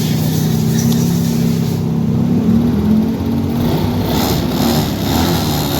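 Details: Yamaha Mio scooter after fixing bogging, caused by a broken carburetor intake manifold hose; jet needle refitted: steady, even low engine drone holding speed without stumbling or bogging, running cleanly off choke. Normal running.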